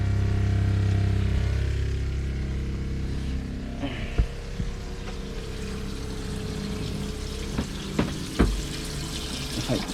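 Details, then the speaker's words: Water pressure pump with accumulator tank, after plumbing and strainer replacement: steady low electric hum under trickling water, pump runs on after faucet closes until accumulator pressure builds, then stops; normal pump operation. "Turn the water off, and the pump continues to run for a little bit until the pressure builds up in the accumulator tank, and then the pump stops."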